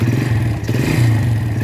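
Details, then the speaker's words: Yamaha Vega ZR single before rebuild, heavy smoke returning despite repeated rebores, oil flow verified good: rough clattery running note with scrapy rattle over steady low thrum; suspected worn piston, con-rod and valvetrain (cam, rockers). "dari tadi kita sudah lihat asapnya juga cukup banyak mesin juga suara kasar nanti ini Saya bel mesin total cek semua ya"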